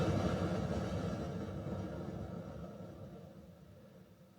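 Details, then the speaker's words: New Shure SLXD5 wireless transmitter, switched on while the receiver is running: a loud rushing whoosh like a crashing wave or explosion that fades over about four seconds; power-on noise burst, cause still under investigation. "That's like an explosion or a big wave crashing on the beach."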